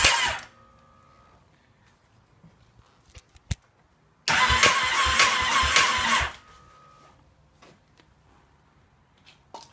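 About two seconds of fast, steady starter cranking that never catches, then silence; engine turns over but won't fire.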